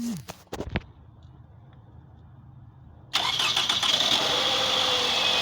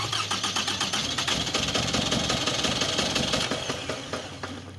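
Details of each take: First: 2004 Toyota Camry after replacing faulty ignition coils for a misfire: brief crank catches and the petrol engine settles into a steady, even idle with no vibration or stumble, running normally. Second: 2004 Toyota Camry petrol engine that is hard to start and won't stay running, scanner showing cylinder 1 misfire code: uneven stumbling pulses about three a second from failed ignition coils; engine misfire causing hard start and rough running.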